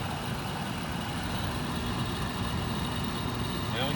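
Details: Frigidaire LAD254NTL automatic dehumidifier, about a decade old, just cleaned and reassembled. Its fan motor gives a steady, even whir with a constant low hum and no rattle, scrape or wobble after power-on, before the compressor starts. Normal fan running.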